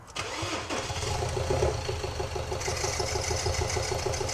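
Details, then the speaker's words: Ford Ranger diesel with broken engine started up: lumpy, uneven beat with a regular stumble each cycle, one cylinder dead, chuffing out the breather, water on the belts. "She's chuffing out the breather. She's not happy, is she?"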